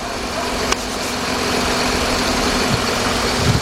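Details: 2007 Jeep Grand Cherokee Laredo 3.7 at idle, multimeter on battery showing 14.1 V: steady, even idle hum with no whine, squeal or knock; alternator charging normally, no over- or undercharging.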